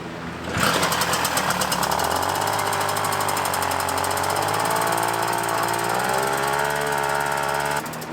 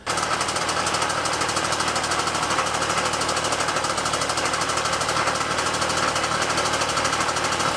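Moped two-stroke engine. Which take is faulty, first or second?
second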